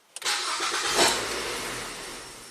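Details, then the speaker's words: 2009 Ford Fusion starts, flares once and stalls within seconds after a rev attempt; runs rich and rough, MAF sensor reads zero volts/no air with no code set, wiring check planned next. "It stalls right out. One more time."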